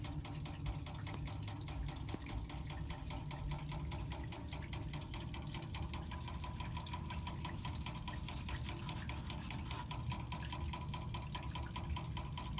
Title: Water meter knocking noise